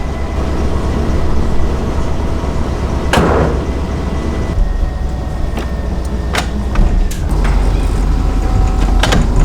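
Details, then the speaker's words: Bus engine after shop repair, driven around the shop: steady low drone, much quieter than before the fix, with a faint intermittent thin belt squeak remaining; charge gauge rising. "So I'm just driving it around the shop, and I just gotta say, I drove it around right before he looked at it, and it's so much more quieter."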